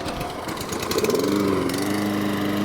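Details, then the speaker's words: New Echo 190cc twin-blade gas mower, cold start after sitting about 4 days (usually needs 2 pulls); one pull, quick sputter, then catches and settles into steady even drone, clean first-pull start. "All right, does it start on the first pull? I haven't ran it in about 4 days. Usually it takes 2 pulls if you let it sit."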